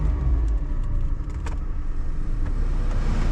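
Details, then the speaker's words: Car at auction, nearly full tank, last MOT with no advisories, started with its own ignition key: deep, even idle rumble with no knocks, misses or surges, a smooth healthy purr; normal idle. "So make sure I put the right key in. Listen to that purr."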